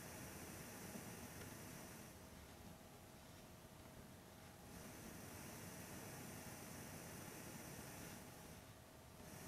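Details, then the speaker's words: Angels Horn H019 all-in-one record player's built-in speakers: bright, steady hiss that comes in at mid volume and drops again at maximum as the volume dial is turned, over a low rumble. "you can hear how the hiss comes in at Mid volume and then bizarrely drops again as you increase to the maximum volume"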